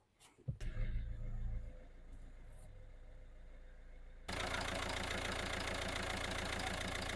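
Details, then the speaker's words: 2020 Citroen with intermittent clutch engagement and rough shifts: engine idles, then a loud, harsh rushing whir from the gearbox area when the clutch pedal is pressed; clutch not disengaging properly, slave cylinder suspected. "I feeling you might be heard some funny noise when I press the clutch making some funny noise basically that clutch won't engage properly"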